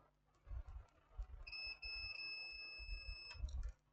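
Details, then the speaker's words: Laptop motherboard short-circuit repair: multimeter continuity test on a capacitor gives a steady high beep of almost two seconds, showing the capacitor is shorted and has failed. "you can hear the beeping on the multimeter here's the multimeter is bibing so so the capacitor has gone the capacitor has gone"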